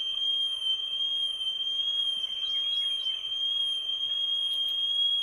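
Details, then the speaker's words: Small vintage tape recorder playing a 3000 Hz test tone, measured through a microphone on the 4% scale: about 1.1% RMS, peaks near 2%. The steady high tone wobbles in pitch throughout; heavy flutter, cause not confirmed. "we're at one 1.1 rms and we're at we had a peak of almost two um two percent so the wiring flutter on this little tape recorder is pretty pretty bad"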